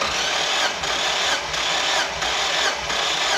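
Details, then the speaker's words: 2002 Mazda Miata 1.8L VVT, 215,000 miles, compression test with throttle held wide open. Even, steady cranking pulses, roughly 88 a minute, no firing. This cylinder reads exactly 120; numbers are lower than hoped but consistent. "it's at 120 right now exactly 120 see 120 all right we're exactly at 120 215,000 Mi on this motor"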